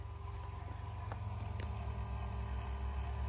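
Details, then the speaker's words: With the engine off, a VW New Beetle Turbo keeps up a steady electric hum. The large fan relay is stuck closed, so the electric turbo water pump keeps running and drains the battery; it stops when the battery positive is disconnected. "you hear that buzzing okay that is a relay that has not released i'm gonna pull the power off of the positive battery side there it goes off bad relay"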